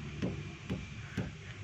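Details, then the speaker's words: Toyota Avanza All New front wheel clunking over potholes: three dull knocks about twice a second as the front brake caliper is rocked; worn internal caliper parts found when disassembled. "jadi kalau di jalan berlubang di akan terdengar suara gluduk gluduk ya"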